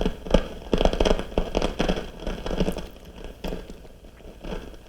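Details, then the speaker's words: RCA CR-88 1940s receiver, testing a 4700 pF mica capacitor in the first RF box with the gain up: irregular sharp crackles and pops about once a second over a quiet hiss. It is noisy but not as bad as the first one, suggesting a bad batch. "turn it to noise not bad oh here we go so it is noisy as well"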